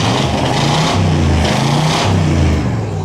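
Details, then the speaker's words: 1963 split-window Corvette, abandoned in a barn for 20 years, just started after a few tries: deep, lumpy V8 rumble holding steady at a fast idle, with no knocks or ticks; sounds healthy. "Oh man, that sounds good. >> That's awesome. >> Way to go. Listen to this car."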